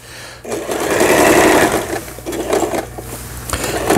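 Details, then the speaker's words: Lion Mising–sold Janome SS308 sewing machine from 2011, plastic body, after repair, sewing stitch no. 2 three-step zigzag; rapid even clatter of needle and mechanism at steady speed, no knocks or grinding, stitching normally. "그 다음에 2번 세발뜨기 바느질이고, 이거 뭐 기능이 많지는 않은 기계인데"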